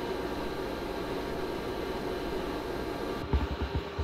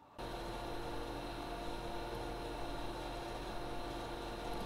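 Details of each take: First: ARAID 3500 backup drive running alongside a server in a production room, recorded on a Zoom H4n: a steady loud whooshing hum with a constant whine. The backup drive's stock fan is too noisy. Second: ARAID 3500 backup drive and server running after a cheap replacement of the backup drive's fan: a soft, steady fan whir with a faint hum and no rattle or whine. Ambient noise is noticeably reduced.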